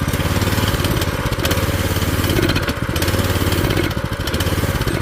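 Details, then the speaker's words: Old scooter's small single-cylinder engine after years of sitting and a carb cleaning: speed swells and sags every second or two instead of holding steady. It is surging; the owner suspects the governor and plans to warm it up and see whether it needs adjusting. "same stuff different day oh no that's a governor or what we got going on here"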